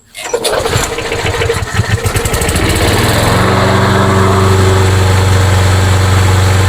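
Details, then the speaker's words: Craftsman mower with Briggs & Stratton engine, hot and restarted after a couple of primes: catches after a few rough turns, then a steady, even low putter; runs fine, but a starting problem remains and the carburetor is to be opened. "But the good news is the good news is it runs just fine."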